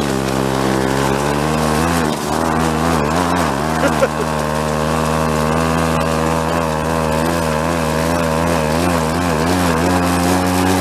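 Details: Late-1970s Chrysler Sno-Runner snowmobile, revived after 45 years abandoned in a barn, running after last-minute repairs: buzzy two-stroke note holding a steady pitch with small speed wobbles; runs cleanly and keeps going.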